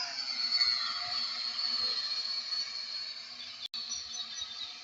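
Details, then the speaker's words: P8 Pro drone after calibration, hovering: high, steady buzzing whine at an even pitch; the rotors sound healthy and balanced and the drone flies well. "මෙයාට පේන ඇති හොඳට මේක fly වෙනවා."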